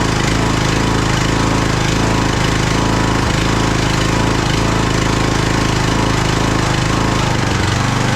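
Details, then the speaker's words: Craftsman DLT3000 lawn tractor engine, jump-started, oil level full: loud, lumpy chugging about twice a second with ragged stumbles. It is running rough and backfiring through the carb, among its carburettor problems. "Wow. It's uh backfiring through the carb right now. So, uh that's not a good sign."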